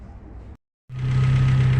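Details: Fiat Tempra after replacing a worn, too-thin alternator pulley with the old original alternator: after a short gap the engine settles into a smooth, even low idle with no belt squeal or chirp; noise fixed.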